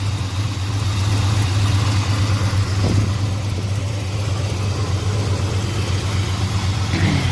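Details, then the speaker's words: 1987 Chevy Monte Carlo SS with 454 big block, just jump-started after new big-block plugs: steady fairly smooth low idle, much smoother than before, with faint uneven puffing suggesting a small exhaust leak near the manifold; exhaust leak at idle. "Stay running. Sounds much smoother and happier. Sounds like it has an exhaust leak, but that's okay. Much better."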